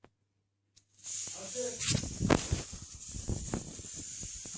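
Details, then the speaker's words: Hot water line turned on under a combi boiler during leak detection with a leak detector: a steady high hiss with irregular crackles as pressurized water escapes from a split pipe tee. "noktasında t'nin yarıldığını görüyoruz"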